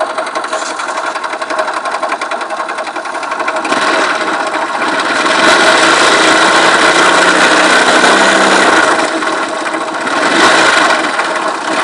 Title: Стучит двигатель Вайпер Актив в чем дело?